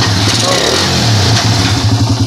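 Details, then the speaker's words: Suzuki Raider R150 after repair, revving: crisp clean blips with no ticking; the earlier loud rattling has gone and the engine is now quiet. "dito Tahimik ang makina mga Bossing oh Kanina parang helicopter yan"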